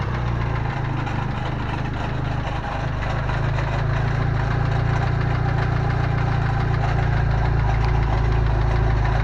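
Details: Steady idle with metallic rattle of roughly three to four beats a second; owner first suspected rod bearings, but the cause was a loose Fidanza flywheel starter ring.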